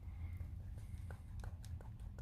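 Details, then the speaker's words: Steering intermediate shaft with play: sharp, irregular light knocks over a low hum as the steering is worked. Fix options are replacing the whole shaft or cutting it with a grinder and fitting two metal clamps with thread locker. "здесь люфт два варианта решения проблемы либо менять ее целиком либо делать пропил болгаркой"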